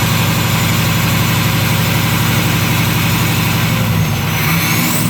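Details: Ford 6.0 Powerstroke diesel after replacing the number 8 fuel injector to cure excessive smoke, high-pressure oil system recharged, first start: deep, even clatter at steady beat, no stumble or miss; normal idle.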